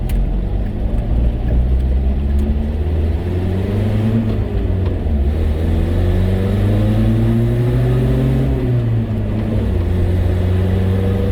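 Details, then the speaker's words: Datsun truck on road test after new carburetor, radiator and thermostat: steady engine drone rising and falling evenly with speed over road noise, no shudder or stumble; much smoother, no vibration, faster, climbs hills now. "it definitely is a lot smoother like there's no vibration right now and it's a lot faster too"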